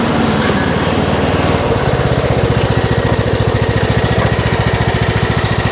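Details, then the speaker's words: Troy-Bilt Pony riding mower, revived from scrap after electrical and steering repairs, all 7 speeds and blade brakes working: engine catches, then settles into a steady, even idle putter with no misses or surging; idle is down great, normal. "Idle's down great, the blade brakes work, everything is 100% on here, so get you guys on the ground."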